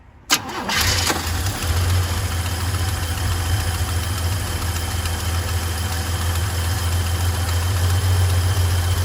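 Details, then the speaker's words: 1978 Chevy C10 half-ton straight-six with automatic, after oil and spark plug change: quick crank, fires within a second, then a steady, even low idle with no misses or knocks; runs smooth. "It sounds good. Sounded good to me before."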